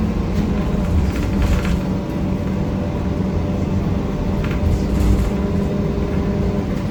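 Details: 1993 Gillig Phantom 35' bus, Cummins ISM engine, Allison B400R transmission, rolling onboard: heavy constant low rumble with rough gritty edge; loud grinding noise throughout, owner suspects transmission, unconfirmed.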